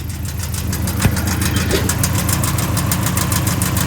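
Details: Box Chevy Caprice Landau two-door at idle, engine running: a rough, uneven knock of about three beats a second from the bottom end; owner suspects it comes from between the flex plate, starter and torque converter, not confirmed.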